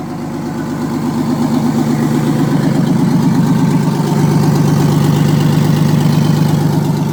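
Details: Old Detroit Diesel in an abandoned vintage GMC truck, running right after the emergency air shutoff valve on the back of the blower was reopened: a steady, even rumble at fast idle with regular, smooth firing and no knocks or misses.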